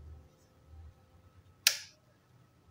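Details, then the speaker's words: Godox Mini K-150 studio flash, second unit, after repair of no-firing and power-drop fault, at lowest power: single sharp snap over a faint steady whine. Fires normally again. "power terkecil berarti ini temen-temen kita pencet ngeflashnya ya itu ya udah normal ya temen-temen ya"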